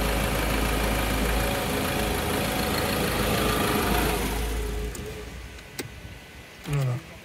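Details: 2012 Ford Ranger 2.2 TDCi Duratorq diesel after fuel filter replacement and pump priming (ignition cycled three times), preheat then start: fires and settles into even idle clatter before shutoff; nothing abnormal.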